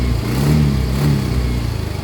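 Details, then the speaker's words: Yamaha Mio i125 scooter, hard to start, revving roughly with an uneven, shaky misfiring beat; throttle body to be cleaned. "125 may halo siyang gilig Guys may halong nanginginig Ayan oh halong gig parang nanginginig palado palyado siya yado talaga"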